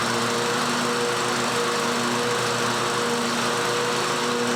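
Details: John Deere 130 mower with new blades and a makeshift gas tank feed, deck reinstalled: smooth constant engine drone, no stumbles or dips; getting fuel and running properly.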